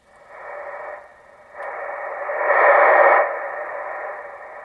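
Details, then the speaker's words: Kenwood 440SAT ham radio receiver moved downstairs and hooked away from the old Heathkit linear power supply: band-limited hiss rising and falling with signal, with no trace of the roughly 1100 Hz whine heard upstairs. "anyway radio's nice and quiet down here on the"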